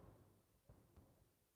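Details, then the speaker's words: Key on, engine off on a 250k-mile Subaru during a scan-tool topology scan: a few faint ticks, then one crisp click, the normal relay cycling while modules are scanned. "I'm going to turn the car off because that uh that clicking noise is getting on my nerves it's it's hurting me from explaining things"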